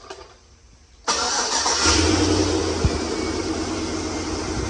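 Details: Chevy LS 5.3 Silverado V8 that squeaked (suspected lifter tick or cracked flexplate), after reassembly of driveshaft, bellhousing, torque converter bolts and starter: brief crank, then a steady, even idle with no tick or squeak.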